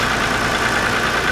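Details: 2007 Hyundai Santa Fe 2.7 L that would not start, running after fuel pump circuit diagnosis: steady even hum at idle with no knocks or misses; normal idle.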